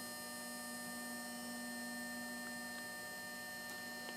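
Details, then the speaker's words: 2011 Audi A4 B8 3.0 V6 diesel, 240 hp, during a service with fuel filter replaced. Ignition on, engine off: a steady quiet electric hum from the fuel pump priming, repeated several times before starting to avoid draining the battery; normal. "Attends un petit bruit. On va dire le bruit de la pompe à gasoil qui... On fait ça plusieurs fois."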